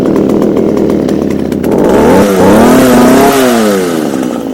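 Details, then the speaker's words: Echo HC2000 two-stroke hedge trimmer, a garbage find with carb adjusters removed, after primer bulb replacement and cold start: catches, revs rise and dip unevenly as it clears, then settles into a steady healthy buzz; smoking blamed on a bad oil mix. "alright guys so this is a winner winner chicken dinner now the reason why it's smoking Chrissy the oil mixture is awful"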